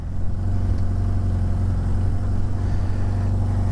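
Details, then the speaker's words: 1983 Suzuki GS650L revived after years stored, completely cold start with full choke and new battery: deep, steady thump with even beat, no misses or hunting; healthy normal idle. "all right let's hear the thunder okay hey that's not bad at all"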